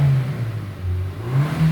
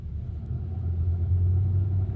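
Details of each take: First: Hyundai Sonata DN8 The Edge, complaint of clunking and limited power when accelerating: a smooth low engine hum builds evenly with no knocks or stumbles. This is a normal pull. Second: Hyundai Sonata DN8 (The Edge) in limp mode after a full-throttle test drive: power cut at about 100 km/h, no further acceleration, engine warning light; low, uneven growling rumble instead of a clean hum. Codes later showed low oil pressure and oil pressure sensor range faults.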